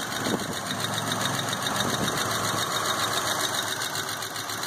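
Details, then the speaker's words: Car just restarted after fuel pump troubleshooting, warming up: petrol engine idles steadily and smoothly, earlier lifter ticking has quieted down tremendously; sounds great. "gonna let it warm up. And this car has quieted down tremendously. It sounds great."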